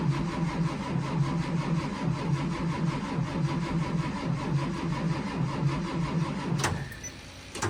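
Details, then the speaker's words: School bus diesel with a HEUI pump slowly building injection pressure, cold start attempt at 23 degrees. Slow, rhythmic cranking at about one beat a second for about six seconds, then it stops without catching. No start. "What that is the Huey pump slowly building injection pressure. And when you start seeing it smoking, that means it's starting to build a little bit of pressure to fire the injectors."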